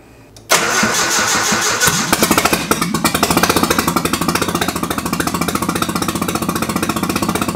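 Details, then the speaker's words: Nissan 240SX with turbo KA24E, first start on a MicroSquirt ECU, untuned, injector size just corrected in the settings. Engine catches into an uneven, lumpy idle with a stumbling beat, missing one or two cylinders; cause not confirmed. "ready well we're definitely missing a cylinder or two sounding good though"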